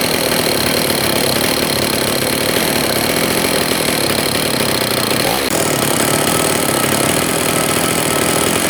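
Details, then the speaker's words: Old STIHL 026 chainsaw after sitting about 10 years, carburetor adjusted, runs at a harsh, buzzy high rev with a ragged, rattly edge and low compression; piston and cylinder are scored, so new seals or a carb kit won't fix it. "It's an as-is repair. It's got scoring on the piston and the cylinder. And you know, you could change all the seals, carb kit, everything, and it's still not going to run the way it should."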